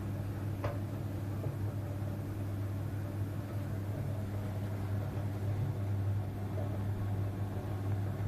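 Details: Potterton Netaheat 16-22 gas boiler, a couple of minutes after burner start, descaled with Sentinel 200: steady low rumbling boil with uneven surges under a deep hum, i.e. kettling.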